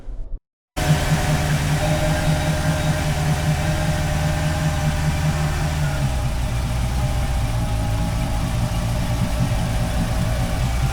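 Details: Boat with MerCruiser Bravo 3 drive, just after power steering cylinder replacement, engine started to circulate steering pump oil: steady low idle with an even rumble and no knocks or squeals; normal idle.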